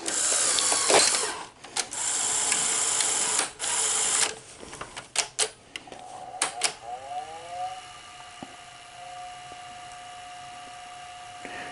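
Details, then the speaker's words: Sony SL-HFR30 Betamax VCR after repair: clunks and clicks as the cassette loads, then a quiet, steady hum in play mode, which is fine. Fast-forward motor humming persists; reel and idler motor capacitors are still to be replaced. "so it's fine when it's playing but when you hit fast forward hear it listen"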